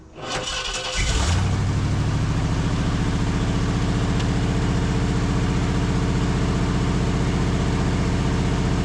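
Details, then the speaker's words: 1969 Ford Galaxie XL convertible V8: cranks and catches, then settles into an uneven, loping idle with a stumbling beat, a misfire from the disconnected number eight spark plug wire; loose power steering belt also noted squealing. "well I am kind of dumb DB cuz I don't know what happened to the uh oh here it is number eight plug wire I'm like this thing sounds like it's got a misfire it definitely has a misfire"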